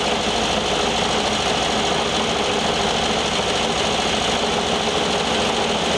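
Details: 1973 VW Thing Type 181 that sat for years, air-cooled engine at a steady idle: a busy, uneven rattling chatter from the cooling fan. Owner feels something lodged in the fan housing and plans to remove the belt.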